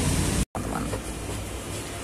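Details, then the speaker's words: Canon IR 5000/5075 series photocopier after replacing the exhaust blower (snail fan) for error 805-02; strong, even rush of air, no rattle, scrape or whine; normal blower fan running. "juga sesnya sudah kencang tidak ada suara"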